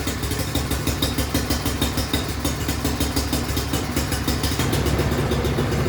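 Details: Craftsman snowblower small single-cylinder engine just after fitting a new carburetor and fuel line; putters at an even, quick beat with no misses or surging, settling into a steady normal idle.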